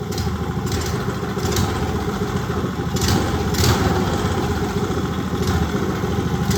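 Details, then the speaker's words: Old Briggs & Stratton go-kart engine, sat outside 8+ years, carburetor mixture screw set about 1.25 turns out: uneven stumbling and surging idle, hesitates coming off idle before pulling harder. "I'm gonna give her another shot at starting. I'll fry it up. Not want to come off idle."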